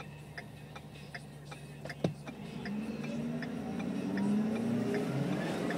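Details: 2011 Ford F-550 diesel idling: rising whistle with quick light ticking about three per second; turbo has a chunk out of one of the fins and seems about to blow up. Damaged turbocharger compressor wheel.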